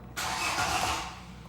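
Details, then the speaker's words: Hyundai i40 G4NA engine, 113,000 km, first start after repair of scored cylinders: cranks and catches cleanly, runs evenly with no knocking or tapping, no fault codes; normal start. "заработал работает ровненько никаких посторонних стуков браков ничего нет ошибок нет"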